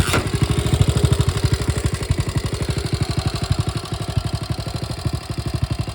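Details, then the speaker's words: 1961 Honda 50 Super Cub 50cc, engine rebuilt from a crate, no battery, run via switch: fast, even putter with crisp steady firing pulses and no knocks or misses; healthy idle. "i want to just let it run and let you hear it so you can see that it's back in the land of the living and sounds pretty good"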